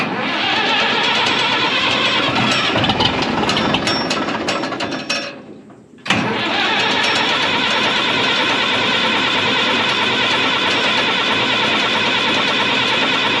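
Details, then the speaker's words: 1965 Minneapolis Moline G707 diesel tractor parked 13 years, fresh diesel with fuel conditioner, about half to full throttle: starter cranks at even rhythm, pauses, cranks again, never fires; no start, fuel system lost prime. "I guess we better stop and work on priming this thing a little more. I didn't think it'd lose prime that bad, but you just don't know."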